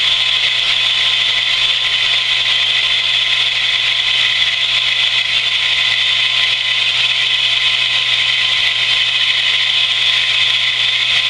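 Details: Camp water pump after winter sitting, just primed with hose fully filled; constant high whirring hum, no pitch change, grinding or rattle as pressure reaches 50, cut-out expected 40–50; normal running.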